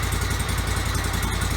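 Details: 2004 Toro Z553 mower, Kohler Command CH23 23 hp V-twin, about 453 hours, after replacing the popped-out PTO-side oil seal, some bolts left loose: steady, even beat at constant speed, no misses or knocks; running smoothly, no leaks.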